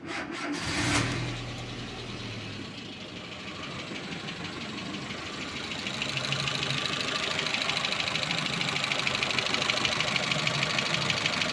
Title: Renault twingo 2 2010, d7f engine, ticking noise